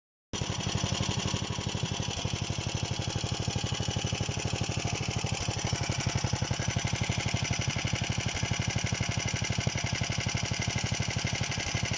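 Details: DM-1 engine running after a major overhaul: a single cylinder popping evenly at about four beats a second with no misses or knocks; normal, healthy running.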